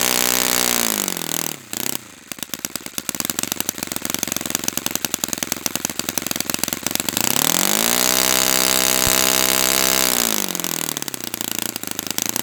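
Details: Brand-new Saito FA-100T twin on a test stand, first break-in run, primed with choke at full throttle: buzzy twin revs up, holds a steady high tone, drops and climbs again without sagging; running rich, lots of oil coming out, not lean, healthy.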